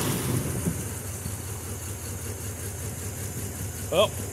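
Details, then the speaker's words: Nissan Z31 after swapping three spark plugs and reconnecting one unplugged injector. Low idle with an uneven, slightly lumpy wavering beat: still a rough idle. Cylinders 1 and 6 show little response; owner suspects injectors or connections, not confirmed. "still a little rough i guess i will go back through and at least check those same cylinders again make sure that they're not causing a problem"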